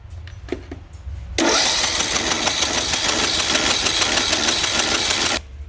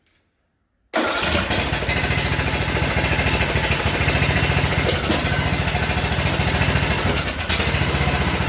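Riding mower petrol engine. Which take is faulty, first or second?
first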